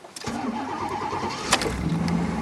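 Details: 1989 Pontiac Trans Am GTA, 350 TPI with Edelbrock upgrades: starter churns over a second before the V8 catches into a lumpy idle; sometimes needs a second crank after sitting, told it needs extra fuel, cause unconfirmed; hard starting, extended cranking.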